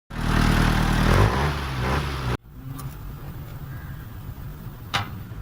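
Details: Car engine running loud with light, fairly regular ticking about four per second over idle, before tappet adjustment (clearances being set to 8) that also fixed a starting problem — excessive tappet clearance.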